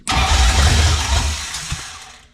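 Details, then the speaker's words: 1966 Mustang with a 5.0 302 roller V8, first start: the starter turns the engine over slow and labored for about two seconds without catching. Cranking is slow. "okay ready yep that sounds really slow"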